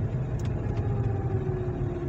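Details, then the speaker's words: Hyundai ix35 front-end hum while driving around 40 km/h: constant low drone with faint steady tone over road rumble; wheel (hub) bearings suspected and about to be replaced, but mechanic doubts it's the bearings, source unconfirmed. "слышали да вот короче такой звук звук не понятно от чего и надо этот звук каким-то образом идентифицировать"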